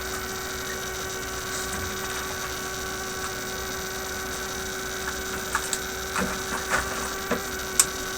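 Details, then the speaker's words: Heathkit 1967 project kit AM transmitter build: steady, unchanging electrical hum with faint clicks, coming from the single-wire bench power supply itself even with the circuit disconnected; mains hum, to be replaced by battery power. "okay so my supply is simply putting out this noise here duh okay the whole time we've been listening to my virus"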